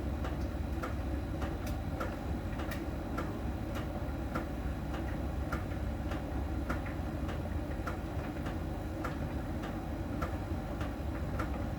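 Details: Miele dryer during drying: sharp, even ticks about every half second over the drum's low rumble; normal, from a small ball sensor touching a contact on the drum's outer surface as it turns.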